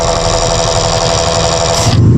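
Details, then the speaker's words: Konzert K4 amplifier on test: loud, steady rattling whir from its small cooling fan, which cuts off near the end; noisy fan bearing. "maingay Yan oh maingay palitan na lang siguro natin yan"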